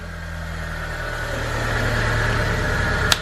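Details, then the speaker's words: Mitsubishi Lancer just after a starter replacement: the engine catches and settles into an even idle that firms up as it warms, with no grinding or misses. Normal start and idle. "general let's see the start nice sounds good"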